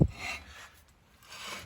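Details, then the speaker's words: 2006 Chevrolet Silverado 1500 wheel turning with the wheel off: rasping metal-to-metal scrape in two slow swells, a brake pad worn through to its backing; owner suspects the caliper is sticking again. "I got a feeling this freaking caliper is sticking again. But if you look back here, see how it's definitely metal to metal right the"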